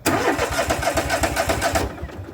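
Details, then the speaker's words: John Deere L130 automatic riding mower, being checked for not charging its battery: quick even cranking pulses, about eight a second, for under two seconds, and the engine never fires because it ran out of gas. "We might have run out of gas. Okay, now I think it's possible I had a bad connection real quick. We ran out of gas."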